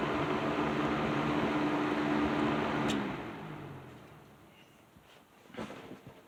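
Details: Patton 12-inch box fan with black Patton-branded Fasco motor after servicing, low speed in a window: smooth even whoosh and low motor hum winding down quietly when switched off, no grinding or bearing noise; normal running.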